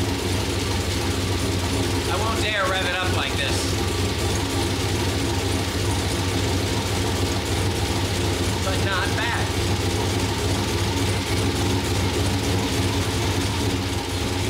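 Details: Turbo Trailblazer SS, built 5.3L LMF with stage 3 low-lift turbo cam, 76mm turbo, E85 only, first start untuned: loud lumpy loping idle with ratchety chatter; running rough, needs tuning.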